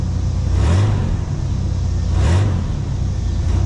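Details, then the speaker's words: 1991 Chevy S-10 revived after sitting: two throttle blips climb cleanly and drop back to a steady idle with no lifter clatter; slight exhaust smoke, owner suspects rings need to seat. "but I didn't hear the lifters clattering so can't be too bad"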